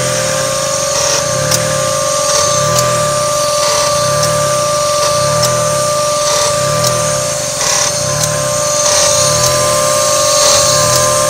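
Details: 1995 Mazda MX-3 petrol engine idling near 1,000 rpm with a sharp click about once per second; each click drops the idle sharply before it recovers, bringing a slight rattle. AC system suspected as the cause, not confirmed.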